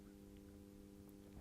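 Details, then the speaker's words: Atlas C420 model diesel locomotive with massive flywheels, new and not yet run in, crawling at low speed; quiet, steady electrical buzz at one pitch with coggy, uneven slow motion, the motor struggling at the low end. "can hear it buzzing. Turning up. Oh. Okay. Yeah. So, at the moment, it's a bit of a struggle at the low end. It's quite coggy. It's going slow, but it's it's not a smooth motion."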